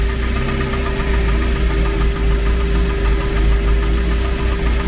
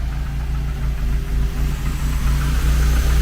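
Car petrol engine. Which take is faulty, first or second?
first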